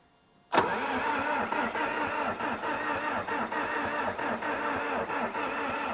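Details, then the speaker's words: International TD8E dozer that had shut off mid-job. After bleeding the injector lines, it is given ether; the diesel catches at once and settles to a steady, slightly lumpy idle. "it is time this should start got James up at the controls give her its favorite a little bit of ether in there go ahead"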